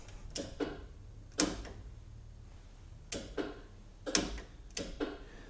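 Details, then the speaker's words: Galant hardtop project car, battery just connected before first start: sharp dry clicks, some in quick pairs, from the headlight relay clicking on and off as the car powers up. "can hear the I think it's the headlight relay clicking on and off."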